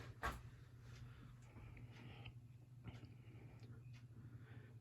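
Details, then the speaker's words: Sears ceiling fan, believed mid-1990s, on low speed: steady motor hum with faint, uneven squeaks and chirps; the bearings sound a little dry (suspected, not confirmed). "as you can hear the bearings are a little dry hopefully that ain't too much of a problem"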